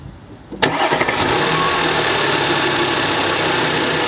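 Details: Audi Q5 3.0 TFSI supercharged engine, after K&N air filter upgrade and welded snapped catalytic converter: sharp crank catches in half a second, settles to steady even loud intake roar, no knocks or misses; normal healthy start and idle.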